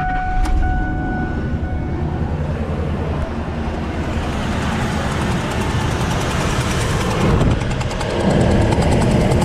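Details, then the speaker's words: 2005 Ford Expedition V8 (4.6L or 5.4L, unsure), over 200K miles, cylinder seven on bank 2 blew out its spark plug and threads, coil unplugged: loud rough running with sharp fast chuffing puff each firing; compression leak from blown-out plug. "all right this is bus blowing out of that that cylinder"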